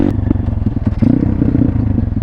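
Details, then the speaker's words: Thumpstar pit bike, mostly stock, at full throttle after carb cleaning: uneven thumping run with sharp irregular pops as it bogs, lacks power, then stalls; idles fine; owner suspects the motor blew up. "You hear these like it's making these weird like pops and it just turned off."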